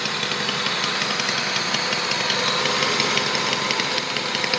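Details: Honda Civic D16Z6 with just-replaced head, valves adjusted, timing belt correct: fast, light, high-pitched, slightly uneven ticking at idle, seemingly from cylinder 4, faster at high rpm, absent when cruising; top-end ticking, cause not pinned down.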